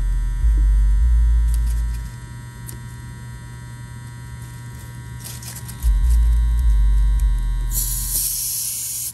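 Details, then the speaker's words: Old Nordyne condenser at a mobile home with no cooling: loud low buzz of the contactor that swells and fades, no fan running. The unit was later found very low on refrigerant. "an old nordyne condenser i can hear the contactor buzzing i'm sure y'all can hear that as well"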